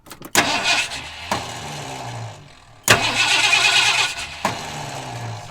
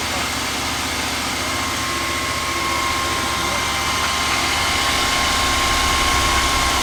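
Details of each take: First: 1978 Ford F150, sitting unstarted for years, with fuel added to the rear of two tanks: short bursts of starter cranking with pauses, and the engine never catches; cranks but no start. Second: 1978/79 Ford F150 V8 that sat for years, first start-up with some oil pressure, fuel from the rear tank and no coolant yet: steady even idle with a regular beat and no knocks or misses; normal idle before a bent pushrod occurred.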